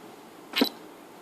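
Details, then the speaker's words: Canon 70-200mm L IS USM lens after shooting stops: short soft whir and faint click as the image stabilizer shuts down, quieter than the camera mirror; normal image stabilizer noise, not a defect. "Então é isso, tá vendo esse barulhinho depois que ela acabou e desligou o Image Stabilizer? Então é esse o barulho que nós estamos tratando e falando do Image Stabilizer, que é praticamente o mesmo barulho do espelho, é até mais baixo que o barulho do espelho e tudo, tá bom?"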